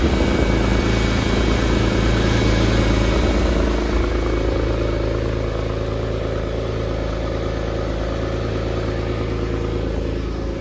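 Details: Porsche 911 (996) flat-six, started after a five-year restoration, cold: settles into a smooth, even idle, a steady low burble with no knocks or misses, sounding healthy. Left-hand exhaust tip is loose.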